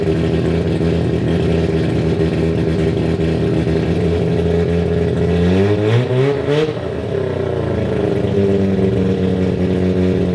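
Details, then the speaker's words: 1993 Mazda RX7 with freshly built and ported 13B rotary, first start after sitting 10 years: steady buzzy idle, one quick throttle blip rising and falling in pitch, then a smooth settle; runs fine despite leaks underneath. "so I'm pretty excited that it runs"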